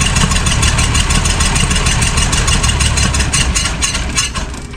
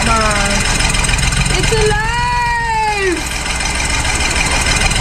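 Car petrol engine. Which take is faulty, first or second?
first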